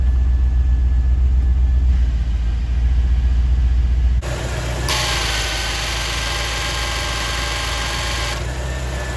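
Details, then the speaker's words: 1989 Chevrolet Corvette C4 after belt tensioner replacement, engine a little warm at start: steady, even idle with smooth low rumble and no chirp, squeal or knock; normal idle. "well so far so good guys the engine was a little warm before i started it up so i'll probably have to start it up in the morning just to be certain that uh the tensioner was the issue"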